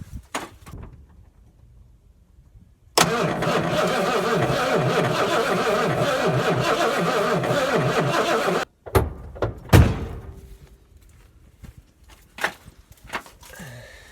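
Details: Circa 1970–71 Ford Torino GT with 429 V8, sitting about 15 years, first start attempt with starting fluid: steady starter churn of about 5.5 seconds, turning evenly but never catching; no spark seen at the coil wire afterwards; cranks, no start.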